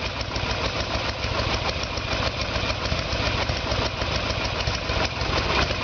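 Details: 1994 Harley Sportster Evolution with a 1996 engine, carburetor found to be the problem; idle while ignition timing is checked with the two dots centred in the timing window. Loping V-twin idle with a steady beat around three pulses a second; normal idle.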